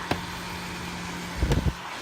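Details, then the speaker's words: 650-watt Little Buddy car interior warmer after disassembly and bearing lubrication, held upside down: smooth, steady low fan hum with no scraping or rattle apart from handling bumps; normal running. "Hold her upside down, make sure she doesn't make any funny noises. Woo! I can feel the heat too."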